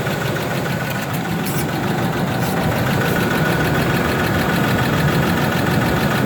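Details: Ford F150 4.2L V6 with an already rebuilt engine idling with a light, fast tick around four per second over a steady hum; a top-end style tick of unknown cause.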